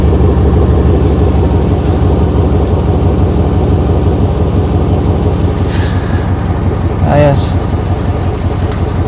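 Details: 2008 Chevy Impala SS 5.3L V8 after temporary clamp-and-screw repair of a loose exhaust/muffler joint; steady deep idle with even burble, no ticking, puffing or visible smoke.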